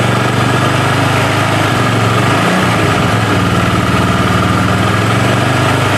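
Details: Honda Vario 110 single-cylinder scooter that stalled after about 100 m, oil empty; after oil change and coolant refill: steady, even buzzing idle with no stalling, hunting or missed beats.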